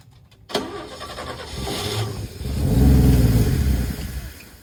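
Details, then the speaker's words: 1962 Chevrolet Biscayne with original 235 inline-six and a makeshift welded temporary exhaust: the engine revs hard with a muffled, choked roar because the pipe is plugged with debris such as peanut shells. "Uh-oh. That ain't good. She's plugged up. This stuff just came out. There's some peanut shells and shit."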